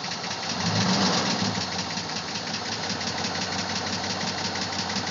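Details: Running engine with a steady light tapping about three or four times a second, continuing through a brief rev; owner unsure whether lifter tap or rod knock.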